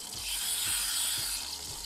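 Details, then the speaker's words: De'Longhi PrimaDonna Elite Experience espresso machine, bought for repair, after restoring water flow, frothing milk: steady high hiss with soft gurgling as steam works milk into very thick foam; frother works normally. "yes, it's very thick foam, of course the milk simulator works OK"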